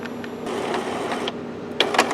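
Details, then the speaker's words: Epson XP-420/320/424 printer with a newly installed continuous ink system runs its normal ink charging cycle: soft motor whir with short clicks and a couple of sharp mechanical snaps. "it's starting I can hear it run its charging"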